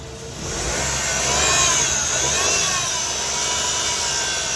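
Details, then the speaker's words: Car revved: howling whine rising and wavering with engine speed, dragging the revs, from a worn A/C compressor likely low on internal oil; compressor oil still green, so replacing only the compressor fixes it. "นี่อ่าก็คือเคสนี้ถเมื่อไหร่เร่งเครื่องแล้วมีเสียงหอนวืดขึ้นมาอย่างงี้แล้วมีอาการฉุดรอบเครื่องนะฮะ"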